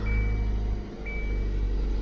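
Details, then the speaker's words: 2015 Kia Soul 1.6 GDI right after crankshaft position sensor replacement, which fixed a crank-no-start: the engine catches and holds a low, steady idle under a faint chime, with no stumbling or stalling. It starts and runs normally. "All good. No more crank, no start. Let's do one more time. As you can see, the car is working fine now."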